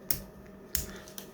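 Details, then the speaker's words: Stevens double-barrel shotgun safety after its spring was stretched slightly longer to add tension, previously floppy: three crisp, sharp snaps with clean spring return; safety now engages firmly, normal safety click. "Oh, hear that? That safety's never worked that well. So just increasing that little bit of spring tension was all it needed."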